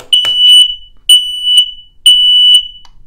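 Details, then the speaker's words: Interconnected smoke alarm triggered via emergency push button through a Kidde SM120X smoke relay on 120 V AC: loud high-pitched alarm pulsing about once a second in a quiet room; working correctly. "我现在按这个 push button， 是不是警报器马上会响，灯也立刻就会亮。"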